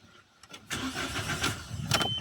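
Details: 2015 Mahindra Xylo after fixing a no-start caused by a relay fault and clearing codes with a scan tool: quiet, then a short crank and the engine catches and settles into a running idle; it now starts normally.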